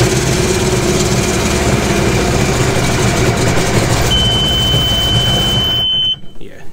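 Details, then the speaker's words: 2017 Sea-Doo GTR 230 with P0201 injector electrical fault code; engine idles rough and uneven on two of three cylinders, then a steady beep before shutdown; single-cylinder misfire. "So, we got a fault code, but it was also pretty obvious that this thing was not firing correctly."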